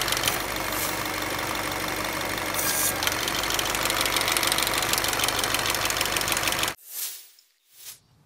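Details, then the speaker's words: Ford Fusion/Mazda 2.3L petrol engine with no codes: busy, hissy fluttering chatter from the intake manifold runner control flaps, which are loose and moving around; replaced with a new manifold whose flaps are tight and silent. "Here you can see the intake manifold flaps are moving around, making all kinds of noise. That was a problem with the noise you heard earlier."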